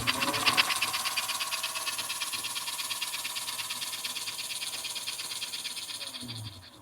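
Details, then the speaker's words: 1952 American Flyer K325 Hudson locomotive after a tune-up with a new wire harness, smoke unit unplugged, running forward: fast, even buzzing whir with a steady wheel clatter at constant speed; running strong and healthy. "So we got an engine that's moving really well. It's a little bit slow in reverse, but forward is breakneck speed, so I think that's good."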